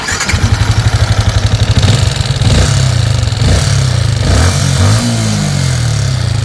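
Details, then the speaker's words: Yamaha Sniper 155 at 38,615 before repair: crank then revving idle with harsh loud top-end clatter from clogged oil passage starving the top end of oil. "kung marinig nyo ay talaga namang maingay ang kanyang motor, ano. So ngayon ay hahanapin natin yung maingay na yan."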